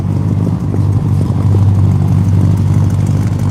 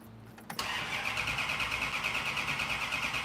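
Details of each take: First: Car with original 383 V8 and three carburetors, restarted after running dry of fuel: deep, steady lope at smooth even idle, no knocks or misses; healthy running. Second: Car being started for the first time, cranked to bring fuel up: steady starter churn about three beats a second with no firing; cranks but won't catch, fuel starvation suspected, possibly spark.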